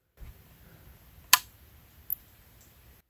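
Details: Laptop power adapter, outputting 13.97 V with red LED, switched off: one faint sharp tick from inside, then quiet; owner suspects a capacitor discharging, unsure; adapter works; click at switch-off.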